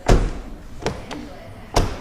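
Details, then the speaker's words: Project Legacy driver's front door after sound deadening (Focal BAM outer skin, Dynamat inner skin), closing: three short, deep thumps with a quick, dull decay and no ring; a solid, well-damped door. "Right, so that officially calls that door Dunners. That's how it sounds closing."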